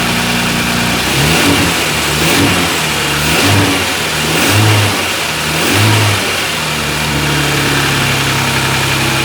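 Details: Kia Stinger GTS 3.3t, 66,000 miles, stock air intake before HPS cold air intake install: smooth note rising and falling in gentle blips up to around 2,000 rpm, even and clean; normal light revving.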